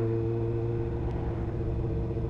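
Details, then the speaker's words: Motorcycle riding in the cold, owner suspects a carburetor issue behind the rumble; a steady mid-pitched buzz over the engine comes from a loose bolt on the dash holding the windscreen. "listen it goes so funny you hear that buzzing it's this little bolt here there's a bolt loose on my Dash on holding the wind screen and look this bolt here it's loose it's well annoying it like shakes really really annoying"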